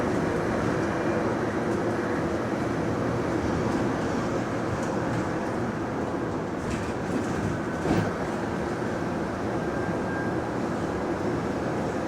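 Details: GAL bus EBD67 on route SL4, after its creaking suspension noise was fixed, recorded inside the bus: a steady low road rumble with only an odd faint bump and no creaking. Suspension quiet.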